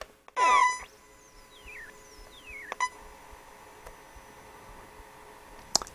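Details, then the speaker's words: Sony ICF-SW55 shortwave radio, first power-up on the bench before recapping: loud burst at switch-on, then repeated falling whistles and stray clicks and self-switching off; audio amplifier obviously faulty. "oh so it's making a weird sort of there's obviously a problem with the audio amp in it"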